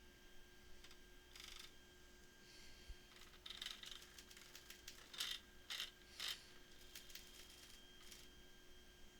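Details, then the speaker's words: Freshly built Anet A8 3D printer: left Z-axis motor jams, giving irregular sharp clicks and ratcheting over a faint motor hum; caused by a crooked left support rod misaligned with its base plate hole, binding against the X motor holder. "the left vertical motor or Z motor doesn't it gets jammed up that's the issue it's getting jammed up and we don't know what it is yeah we don't know the cause"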